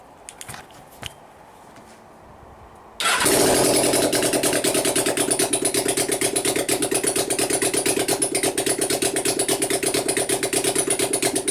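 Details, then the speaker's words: Suzuki GS500 project bike, first fire-up after engine reinstall, choke on, no exhaust pipes fitted: loud raw fast even crackle, revving far higher than expected; owner says he set the idle wrong, high idle. "Wow I call that a great success start up pretty quickly and when it did I got scared shitless because it was revving way higher than I was expecting"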